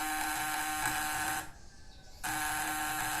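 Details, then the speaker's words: Homemade fish-shocker with a vibrating contact breaker (platina), in a capacitor vs condenser test: steady, even, smooth high buzz that cuts out briefly and resumes. Sparks at the points are small, the points stay cool, and output seems to be about 40 V. It runs normally. "halus sangat halus dan juga percikan api juga kecil teman-teman ya percikan api pada Filipina kecil dan pelitian ini tidak panas teman-teman"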